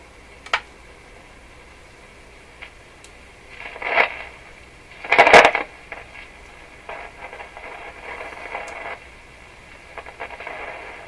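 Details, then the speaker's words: Rogers 11RA651 shortwave radio, paper capacitors replaced, on 6 MHz shortwave band: scratchy crackles and static bursts over quiet hiss whenever the knob turns; very noisy volume control. "Very, very noisy volume."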